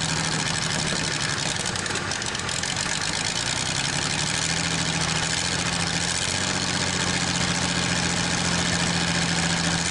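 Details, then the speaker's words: Probably 1947 Worthington tractor with a Chrysler industrial 218 flathead six, first start in decades with extra oil in the cylinders: a steady idle with an even beat and a faint hum, no misses, clearing up and picking up; running normally. "It is running, but now I put a lot of oil in them cylinders and stuff, so hopefully you'll be able to see this. It's clearing up engine wise, you know, it was picking up and running better there."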